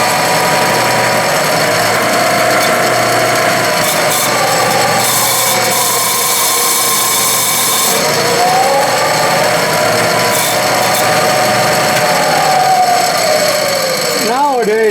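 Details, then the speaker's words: Clausing 12-inch Series 5900 lathe, hydraulic variable-speed belt drive, motor only: steady rubbing belt hiss with tone sliding up and back as speed is swept; noisy by design, working normally. "It's just a terribly noisy machine, but I still love it."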